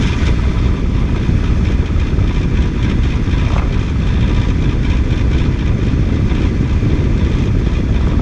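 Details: 2006 Toyota at steady idle with a throttle blip or two, owner trying to find where a noise comes from. Dull low drone throughout with no distinct knock or squeal; source undetermined. Engine noise.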